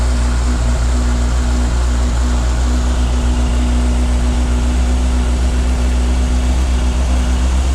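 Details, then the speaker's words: 1998 Yamaha YZF600R Thundercat at first start after transmission repair, rear wheel off the ground, shifting through all gears, carburetion still needing adjustment: smooth, even inline-four drone with no knocks or rattles, no leaks; running normally. "i'm gonna have to mess around the carburation a little bit to get it set up right but she sounds good awesome"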